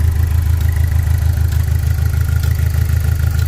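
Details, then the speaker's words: Saturn Sky right after its fan controller module was replaced to fix overheating, with a flashing engine light and a shaking steering wheel. A lumpy, pulsing idle with an uneven beat of about three thumps a second; misfire, apparently running on three cylinders, cause unconfirmed. "Sounds like it's broken, which is terrible because I thought we were fixing it, but I guess we're just finding out more and more problems the more we try to fix it. So sounds like it's running on 3 cylinders,"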